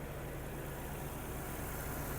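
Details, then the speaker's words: 2008 VW Golf 5 1.6 MPI petrol with LPG, 203 thousand mileage: warm idle after an instant start. Low, steady, even hum with no dips, stumbles or misses, no smoke. Normal healthy idle. "автомобіль завівся з півтику працює тихо рівно не димить не"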